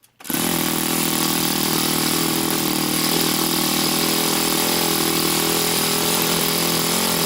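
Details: YS FZ63S supercharged glow engine after rebuild with replaced leaking throttle barrel seal, APC 12x8 prop, OS F plug, Omega 15% fuel, pre-tuned, started at ~10% throttle: catches almost at once, steady even high-pitched drone, no misses or surging; normal.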